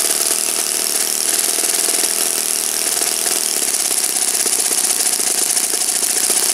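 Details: Saito FA-56 four-stroke glow engine, moderate-time, first run after teardown, cleaning and bearing replacement, 12x6 prop, OS F plug, Omega 5% fuel, tuning run: high, even buzz holding steady at speed, no misfires, sagging or rattles; normal clean running.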